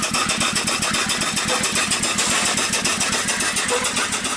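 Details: Upright steam engine that sat for years, after repair, running on 25 psi steam: even, regular chuffing at about 220 beats a minute, not running too fast, no knocks or misses. It runs smoothly.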